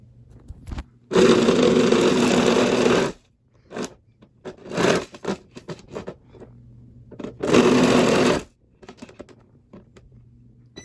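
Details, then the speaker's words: Jetson Magma off-road hoverboard with loose parts inside the housing: loud harsh buzzing bursts, violent rattling vibration whenever pressure is released from the foot pads; loose internal parts suspected. "uh but basically uh inside there was some rattling parts and unless you kept pressure on the foot pads it would just vibrate like crazy"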